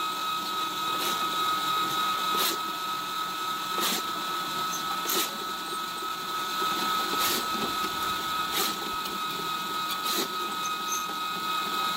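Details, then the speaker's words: Spartan 1065 drain cleaning machine running its spring-wound cable through a backyard corrugated drain pipe; a steady motor drone with a sharp tick about every 1.5 seconds as the cable turns. Normal operation. "this is a Spartan 1065 drain cleaning machine the way it works is this is the real keeps turning builds up tension on this spring wound cable"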